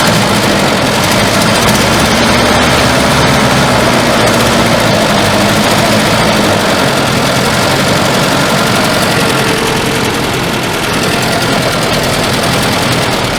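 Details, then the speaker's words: 1974 Volvo 142 fuel-injected engine, off the road since 1988, freshly started cold with little coolant: loud, ragged idle with an uneven beat of about four per second that stumbles and bogs; owner suspects the second injector is dumping fuel. "bet it's that second injector it's just dumping"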